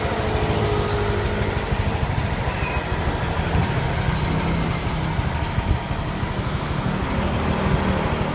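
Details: Honda Vario 125 injection scooter after repair of a rough-sounding engine by replacing the cam rocker arm (pelatuk klep): dense, steady engine sound, no distinct knock, even idle; normal running.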